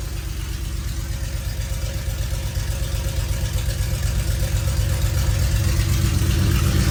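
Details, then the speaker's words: 1973 Plymouth Road Runner, original 318 V8 with new Aces Killshot EFI, first start before self-learn, open headers no mufflers: loud deep steady rumble with even lumpy beat, building smoothly as revs rise; clean running. "she runs sounds awesome love open headers"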